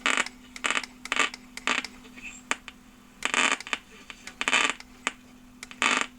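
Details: 1976 Lloyds Monteverdi stereo receiver: irregular sharp crackling static over a steady hum while turning the dial, only on AM, FM fine; tuning capacitor or dirt suspected, unconfirmed.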